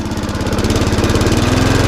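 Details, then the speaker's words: Mountfield SP470 self-propelled mower that runs slow and won't stop; engine keeps chugging, releasing the dead man's handle only changes revs and never cuts out: kill-switch contact not quite bridging, needs adjusting. "And also, I'm not going to pull the engine brake in. Why? Cuz it doesn't work."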